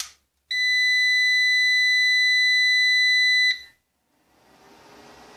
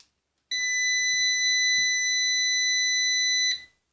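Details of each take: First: Orvaldi INV-12-840W Home UPS, repaired for error F05 with test transistors soldered in and no heatsinks, on a small test battery and mains with the power button off. It gives a steady high startup beep of about three seconds, then the fan spins up. It starts normally and charges the battery. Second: Orvaldi INV-12-840W Home UPS being repaired for error F05 and no 220 V output (shorted IRF3205 and KGF75N65KDF transistors). On first power-up with test transistors fitted, a steady high beep sounds for about three seconds. Output 220 V appears, and the tech suspects a low battery.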